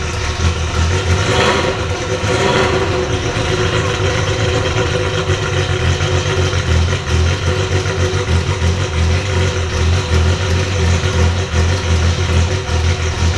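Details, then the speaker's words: 1980 Ferrari 308 GTSi V8, about 200k km, engine and gearbox rebuilt after a 2018 breakdown, at its first start in 5 years: an even, steady idle with a couple of light blips and no knocks or misses. It runs healthy. "oh this is insane five years guys well patience is rewarded definitely how did you think that that sounded it was amazing"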